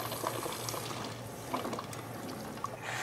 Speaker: the overflow behaves similarly to the closed check valve but notice there's no vibrating handling stage or even a smoothing out stage the overflow just goes from a relatively gentle flow directly to a steam and water mix